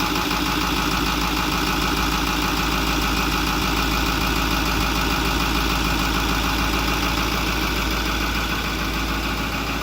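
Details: 2008 Ford F250 6.4L V8 turbo diesel after electric fuel pump replacement and purge, previously starting then dying: loud, even diesel clatter at steady idle, no stumbling or hunting; running healthy.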